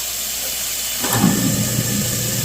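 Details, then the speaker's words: New garbage disposal just installed, after knocking out the dishwasher-connection plug, test run: after a second of quiet the motor spins up to a steady low hum with light hiss, no rattle or grinding; runs smooth, much better than before. "smooth that sounds. A lot better than it was before."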